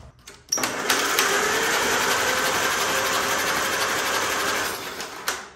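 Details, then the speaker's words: 1944 Allis Chalmers B tractor that sat for years, in neutral on an external battery, spark plugs removed, after starter drive gear replacement: a steady, laboured whirring crank at about four beats a second without firing; high compression suspected, valves to be checked. "well i'm going to stop what i'm doing i do not want to keep cranking this over with that high compression going on"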